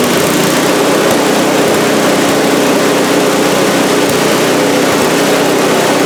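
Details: Salvaged snowblower single-cylinder engine after cleaning a dirty fuel bowl and carburetor jet: loud, steady chug holding an even speed with no misses or surging, running normally.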